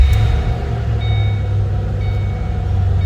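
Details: 2007 Ford Mustang Shelby GT coupe with 5,228 original miles, just started. Deep, steady V8 burble settling into an even idle with no ticks or misses; healthy normal idle.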